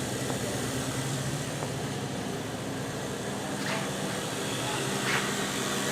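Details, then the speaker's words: Jazzy 600 power chair drive motors, heard indoors. A steady low hum with a faint whine, on the upper end of loud, though it seems to be improving. The motors are suspected to need breaking in. Loud drive motor noise. "I don't want because some motors are real quiet and some are louder and this is on the upper end of being loud"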